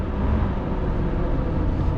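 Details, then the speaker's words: 1990 Fleetwood Bounder motorhome with a Chevrolet 454 big-block V8, driving at low speed: a smooth, even low rumble with no knocks or misfires; running better. "Yeah, it sounds pretty good. I can tell you right now, it's running better."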